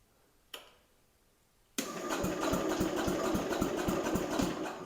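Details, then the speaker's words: Jacobsen Chief 800 under restoration, with a newly installed battery: after silence, steady even cranking at about four turns a second with no dragging or clicking; normal cranking. "All right, now that the battery's in, let's see if it'll actually turn over."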